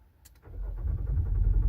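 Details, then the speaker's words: 2024 Nissan Pathfinder R53 crank-no-start: starter turns the engine over with a rising churn but never catches. "So nagka-crank lang siya. Pero ayaw niya umi-start."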